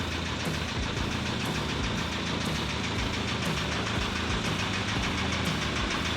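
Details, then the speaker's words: VW TDI diesel in a Willys Wagon, after a blown head gasket: hard, steady rod knock over the idle clatter; owner suspects coolant water in the oil destroyed the engine, which is being replaced with a built ALH TDI. "All right, got it in the shop. You can hear how badly this thing is rod knocking. I think maybe some water from whenever the head gasket was blown has gotten to the oil and just destroyed this engine."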